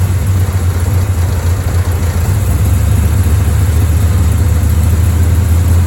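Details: Chevrolet Bel Air carbureted V8: deep lumpy, uneven burble sagging near stalling; rough idle, owner suspects it ran out of two-year-old gas.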